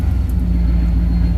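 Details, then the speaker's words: 1973 Ford Maverick restomod, fuel-injected 302 V8 with cold-air induction, idling around 800 rpm with almost 60 psi oil pressure and good volts. Deep, steady exhaust burble with even firing and no knocks or misses: normal idle. "Idling right around 800, I would say. Listen to this exhaust. Sounds good."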